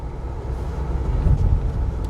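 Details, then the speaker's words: BMW X5 after a full suspension overhaul, driving over uneven patches where worn ball joints and bushes used to knock: a steady low road rumble with no clunks or knocks; suspension now quiet, with alignment straight. "यहां पर बहुत uneven patches है ब्रजेस के भी पैचे में पहले आवाज आता था तो ऐसा कोई आवाज तो मुझे नहीं लग रहा है यार"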